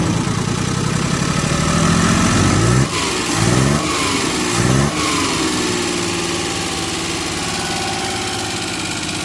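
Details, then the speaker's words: Suzuki F6A petrol engine runs rough and uneven, misfiring with no stable idle, stumbling with sharp backfire pops, and hard to start. Cause is valves with no clearance, found under the valve cover. "ad Ara Suzuki f6a engine ang giti na balatian ay palado walang Menor at saka mag backfire"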